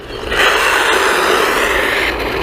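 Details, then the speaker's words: XLF X04a brushless 1/10-scale RC truck with a rear-mounted motor, pulling under power. Harsh raspy grinding rides over the motor; rear gears taking the motor torque suspected to be chewed up, not confirmed. "It sounds like the rear gears, which is probably getting the brunt of the"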